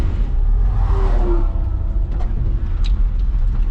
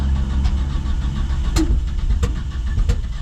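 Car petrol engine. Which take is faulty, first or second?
second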